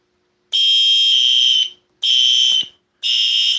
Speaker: the alarm will go up you hear the relay's clicking that's what the drill button is for